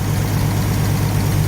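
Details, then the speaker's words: 1950 Chevy coupe, 216 six with low-pressure splash oiling, choke working via a 3D-printed part, warm: a smooth, even low rumble with a steady beat and no knocks or misses. Normal warm idle. "Doesn't this thing run nice? Yeah, it sounds much better now."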